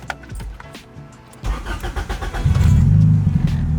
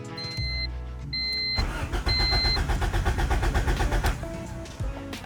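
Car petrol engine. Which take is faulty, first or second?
second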